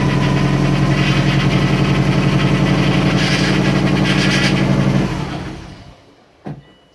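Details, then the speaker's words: Freshly reassembled turbo car at idle after oil change and priming: steady knock about four times a second from the power steering pump, which still works; then shutdown. Check engine light on, owner suspects O2 sensor. "knocking that's actually the power steering pump so the power steering pumps goes well that's good"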